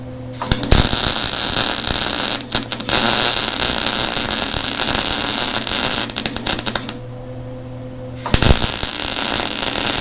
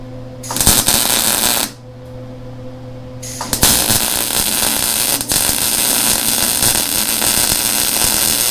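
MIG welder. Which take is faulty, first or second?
first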